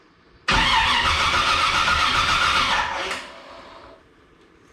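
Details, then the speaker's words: 1982 Chevrolet Camaro being reassembled, exhaust hooked up, timing being adjusted: about two and a half seconds of even cranking with no firing; distributor power wire never connected, no ignition power. Crank, no start. "about there oh I never put the power wire to the distributor we weren't going to get very far like that"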